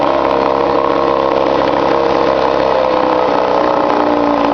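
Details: 1953 Mercury Mark 15 outboard, after fixing flooding by correcting carburetor float height, cold weather: steady even burble with no misses or surging; normal idle.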